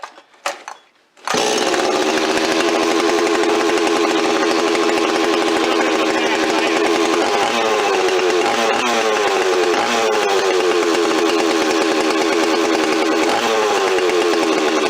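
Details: Stihl 026 chainsaw rebuilt from a scavenged parts saw with aftermarket parts, first start on fresh high-octane fuel: after a brief start-up, a strong, steady high buzz holds over fifteen seconds with brief load dips. Normal running.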